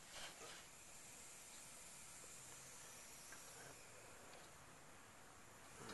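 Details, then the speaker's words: Zenith 25MC36 tube TV with solid-state substitute for high voltage rectifier tube, about 28 kV: steady airy high-pitched corona hiss rising when brightness is turned down; high voltage regulation problem suspected. "There's a definite high voltage regulation problem here, because the can hear the hissing increase when I turn the high voltage down, or the brightness down, rather."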